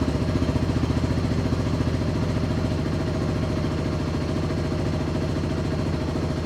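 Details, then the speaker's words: QJMOTOR SRT 125 DX motorcycle after its first oil change at 500 km, with Shell Advance 4T Ultra 10W-40, idling for a minute or two to check for leaks. Steady, even low thumping with light top-end clatter; healthy single idling smoothly: normal idle. "Được rồi, tôi sẽ khởi động máy một phút, để nó chạy . Một hoặc hai phút. Chúng ta sẽ xem có rò rỉ gì không và mọi thứ có ổn không."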